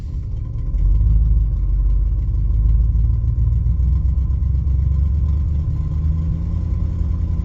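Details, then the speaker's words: 1971 Lincoln Continental Mark III V8 after rebuild (new pushrods, lifter, head gasket, timing chain, Edelbrock Performer intake, Street Demon 625 carb, mechanical fuel pump); deep, slightly uneven rumble at slow idle, idle sits a little low. "The sure track light will actually turn off if we drive the car. And the idle seems to be a little on the low side today."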